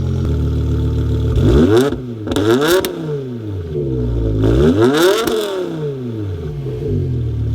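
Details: BMW E60 M5 V10 on full E85 fuel, just after a DIY dual Walbro 255 fuel pump upgrade, with rear muffler delete and primary cat delete: fires cleanly, then sharp blips rise and fall smoothly with no stumble or hesitation; normal start and rev.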